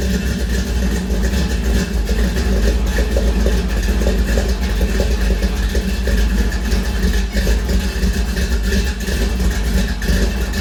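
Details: 1956 Chevy with new exhaust, headers and Flowmaster mufflers: deep, loud, steady V8 rumble with a few throttle blips settling to an even idle; runs cleanly.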